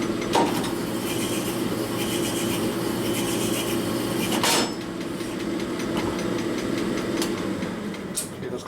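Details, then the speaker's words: Honing aluminum Evo cylinder of a 2005 Harley XL1200 Sportster with fine ~500-grit plateau stones, stone pressure cut in half: steady even machine hum with a few light clicks and no chatter. "Okay, you cut the pressure way back. Hopefully it doesn't chatter. If it does, we're screwed."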